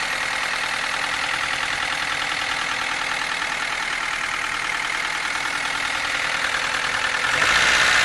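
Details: Nissan S13 at idle with a fast, fairly even ticking of about three a second over a hissy background; engine noise, cause unclear.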